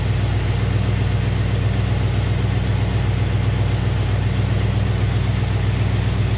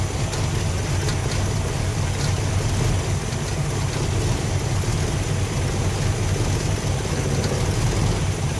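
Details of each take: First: Thermoquad carburetor after the idle mixture screws were set with a vacuum gauge: steady, even idle with a smooth low rumble and no misses. Normal idle. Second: Thermoquad carburetor engine at idle before mixture adjustment: low, uneven idle with lumpy, stumbling pulses and hardly any vacuum on the gauge; running rough from a too-lean idle mixture, screws to be turned out.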